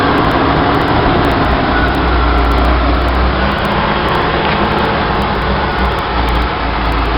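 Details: 1966 Chevy sports van 230 straight six with HEI and a Weber 32/36 two-barrel on the stock one-barrel manifold via adapter, in neutral, camera at the carburetor: loud, steady raised idle roar with no dip; high idle, most likely a vacuum leak.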